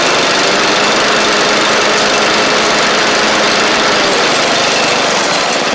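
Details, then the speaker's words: Seven-year-old MTD-built Murray 38-inch riding mower after new deck belt, blades and engage cable, blades engaged: steady, even engine drone with no knocking, surging or scraping, run a couple of minutes; healthy running under deck load. "I just ran it for a couple minutes there and everything seems all right so that's good"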